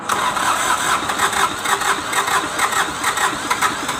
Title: Hard starting D905 ASTE A155 prepare for recon.